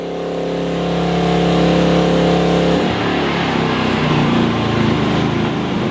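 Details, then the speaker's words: Maxpeedingrods MRX3500 portable generator running outdoors with a 2200 W kettle switched on: small-engine hum automatically steps up in revs to take the load, then settles and runs steady; normal load response. "As soon as I turned on, the generator increased revs automatically to cope with the load. So it's managing that kettle no problem at"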